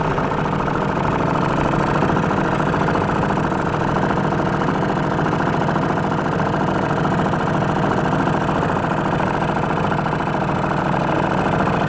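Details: 1949 Atlas Royal 1.5 hp outboard barn find, mixture adjusted and warmed, running on the lake: steady even two-stroke buzz at constant speed, no misfires or surging; owner says it runs great for its age.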